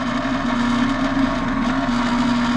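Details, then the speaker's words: Cook fresh-air intake/exhaust fan system that isn't working, with the disconnect on and no indicator lights: pressing the on/off/hand buttons on the motor starter brings a constant, loud single-pitch electrical buzz from the starter, not the motor; likely a chattering, faulty contactor. "press off why is that making noise okay so these are those little buttons for this"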